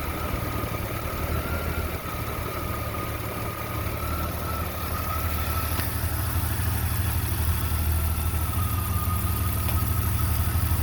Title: Jeep Comanche 4.7L Stroker Rough Idle